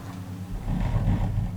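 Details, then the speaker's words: Olympe gondola lift, Brides-les-Bains–Méribel: low even rumble swelling and fading as the cable passes over rubber-lined roller sheaves on a tower; normal characteristic roller passage noise, varying with tower type. "ces galets possèdent un bandage caoutchouc pour amortir les vibrations et réduire l'usure du câble c'est le bruit caractéristique que l'entend au passage d'un pilote sur les galets"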